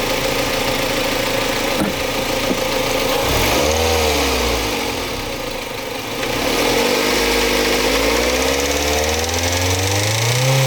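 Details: Mazda MX-5 Mk3 revving then settling to idle: steady light rattle riding over the engine, about four per second; source not diagnosed.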